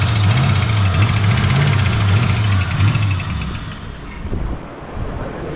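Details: Ford Foxbody V8 started for the first time since 2006 after long storage, run on starter fluid: catches and runs with an even rumble about three seconds before dying; fires cleanly, sounds normal.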